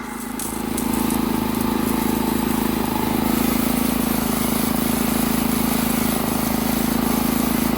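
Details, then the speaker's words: Honda GX160 on a Workman 2 Multimixer cement mixer, about 10 minutes after starting, water added to the drum as simulated load: steady, even single-cylinder beat with smooth low drone holding firm; running healthy. "well believe it or not this is like 10 minutes later and it still sounds pretty decent"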